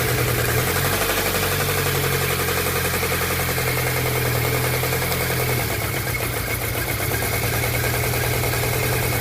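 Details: VAZ 124 engine at steady idle with a dull regular tapping, about three to four per second, following engine speed; engine knock of unknown origin.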